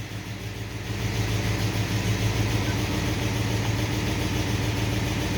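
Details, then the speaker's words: Manual-transmission vehicle cold start with choke on: choked idle with rough ticking puff about three a second under steady rumble; exhaust leak on passenger side. "so this thing's got one exhaust leak on the passenger side i gotta fix though other than that runs like a towel"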